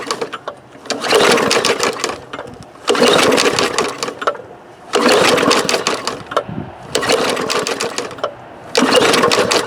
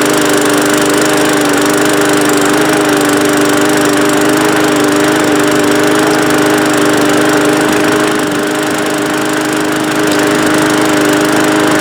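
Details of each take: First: Bolens push mower with Briggs engine, pulled from the trash, fuel in tank, primer bulb, air filter and cover missing: five rattling pull-start bursts with no firing; cranks but won't start. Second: Bolens walk-behind mower pulled from the trash, single-cylinder Briggs engine, after a ten-minute repair of the non-starting mower, carburetor refitted, run briefly without its air filter cover: steady, even drone with no misses, starts on first pull, sounds good enough.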